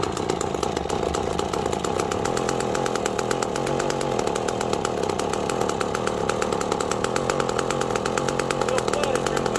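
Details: McCulloch Pro Mac 1010 two-stroke chainsaw after carb readjusted (owner thinks it had been running a little rich): rapid, slightly uneven firing beat with no steady clean rev; running roughly, still not carburetting right.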